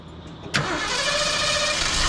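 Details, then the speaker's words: 1974 Ford Gran Torino Elite cranked after the starter was clearanced where the flex plate had rubbed the aluminum: the starter engages and spins with an even whir and no grinding, sounding normal. "much better all right that's fine sounds good that's all it was just took the double carbide to it clearanced it and sounds good"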